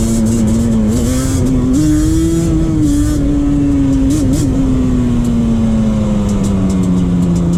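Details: 2001 Yamaha Banshee 350 twin two-stroke on a POV ride after new clamps fixed an exhaust leak. Crisp drone climbs and eases with throttle, steady and clean without puffing or ticking; normal, sealed exhaust note.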